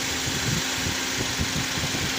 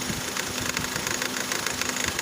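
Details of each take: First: Engine idling after belt tensioner pulley replacement, with the AC then turned on under a steady hiss: even idle with no rattle or chirp from the tensioner; normal. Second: Engine idling with the AC on: light, fast metallic chatter with a faint tone; a screwdriver test separating the pulley stops it, confirming the rattle comes from the belt tensioner pulley, which is to be replaced.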